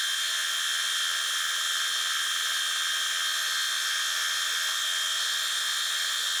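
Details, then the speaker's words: Fly cutting the top of a Ronaldson & Tippett engine's cast cylinder head at slow feed, about an inch a minute: steady high even cutting hiss and whine, no chatter or pitch change; normal smooth cut. "So I'm going to be feeding this at, oh shit, what is it, inch a minute. I just want to go real slow and just watch it do its thing."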